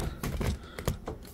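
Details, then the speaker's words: 3D-printed turbocharger spun at full power: sharp uneven plastic clicks over a faint spin; two gears suspected not meshing properly, gear sitting 1–2 mm too low, grease added afterwards. "the two gear meshing from my design I think it's a little bit higher the gear should go up like one to two more millimeters in order to have a perfect MH but that's the only noise"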